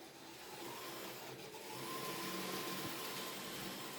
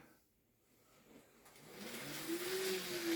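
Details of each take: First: Second-hand Kato N gauge CSX locomotive on the track, running with a thin, steady squeal rising over a soft running hiss; the motor squeals and sounds dry, needing lubrication, and runs unhappily, nearly stalling. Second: Second-hand Kato N gauge CSX loco: quiet, even motor whir rising as it gets moving; the earlier motor squeal has gone and it runs smoothly.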